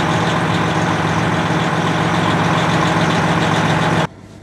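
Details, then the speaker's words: Manual truck with heavy clutch, sat during quarantine, started with clutch pedal in: steady even low rumble at idle, no misses or knocks until shut off; idling healthily. "Do you put the clutch pedal in? It's a heavy clutch. Yay! It starts. And she is set."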